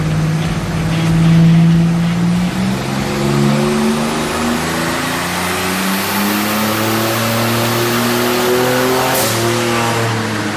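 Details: Buick Grand National on a dyno with a wrongly installed front seal leaking oil: the engine pulls hard at full throttle, pitch climbing steadily with no misfire or stumble; about 400 lb-ft at 4200 rpm and 357 hp at 5200 rpm.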